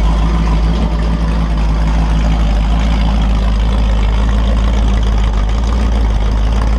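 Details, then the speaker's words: Freshly built Holden 355 stroker V8 for an HQ Holden on a test stand (TQ30 cam, flat tops, HEI, Edelbrock carb, 9.5:1 compression): deep, steady, even idle with no ticking or knocking; 30 PSI oil pressure at idle, normal. "good sounds good oh we got good oil 30 PSI at idle oil pressure"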